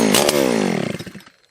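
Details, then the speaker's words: Husqvarna 281/288 chainsaw revival on the first pull with choke out. It catches with a sharp rising buzz, then sags and sputters out within a second. Fuel starvation, as the carb was empty; brake cleaner in the bottom end is suspected of giving the brief start. "The carb was empty. You know what? I bet that was the brake clean down in the bottom end."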